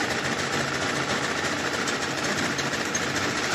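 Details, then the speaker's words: Honda Scoopy FI scooter with white smoke and stalling, badly scored piston and cylinder; uneven, lumpy idle with faint irregular stumble under mechanical clatter, fuel pressure only about 21 psi versus normal 40+, won't take throttle. "Tuh bisa dengarkan musik KWH mesinnya suaranya itu enggak mau dikasih saya kesel nih"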